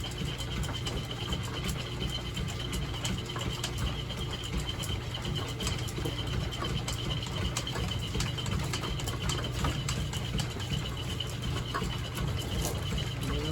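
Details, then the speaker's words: Lineshaft-driven machine boring a cast iron pulley for an 1870s thickness planer, working hard on a heavy cut: steady low hum with a loose flapping tick about three times a second; sloppy flat drive belt slapping and slipping under load, needs shortening. "trying pretty hard I need to take an insert of the belt it's pretty sloppy"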